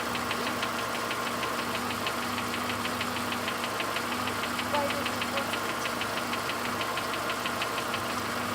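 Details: VW Golf 5 Plus with BSE engine at idle: sharp, even tick-knock about three times a second over the engine hum, an engine knock.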